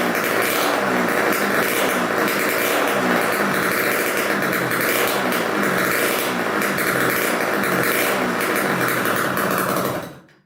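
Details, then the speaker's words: 1987 Kawasaki KX125 two-stroke first start on choke, good spark and high compression, no expansion pipe: loud crackly steady burble with even rhythm, then shut off; idle returns properly, no air leaks heard; healthy. "all right sounds pretty good i didn't hear any air leaks or anything idle came right back down"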